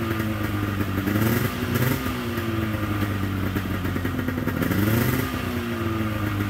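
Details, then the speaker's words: 1997 Polaris XCR 440 twin liquid-cooled two-stroke snowmobile running premix as precaution, oil injection unverified: crisp buzz rising and falling cleanly with throttle, no stumbling or rattle. Normal running. "I am running pre-mixing it right now I'm not sure if that oil is working I always do that just as a precaution it doesn't sound bad"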